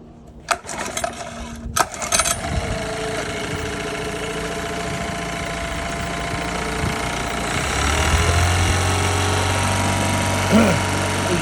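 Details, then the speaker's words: Used Honda 9.9 outboard (coil MP-05) that had no spark until the coil was removed and refitted: after a few cranking clatters it catches and settles to a steady, even idle with no misses; the cause of the fault is unknown. "works great still switch works great that is the third or fourth time I've been able to reproduce that"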